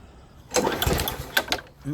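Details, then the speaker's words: Husqvarna mower, primer version, after repair: pull, a catch and even single-cylinder firing. Starts and runs normally; idle was first slow, then adjusted and now possibly a little too high. "when i first started it it was running real slow so i adjusted a little bit it sounds like it might be a little too high so i'll just drop that back just a tad"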